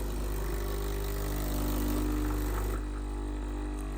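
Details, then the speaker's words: Breville Barista Express Impress BES876, customer reports the pump runs continuously even in standby: steady low pump hum with a faint even pulse while hot water flows. Water comes out normal and hot, no leaks, no random cycling seen yet. "water comes normal. It's pretty hot. Nothing surprising so far. I don't see any leaks."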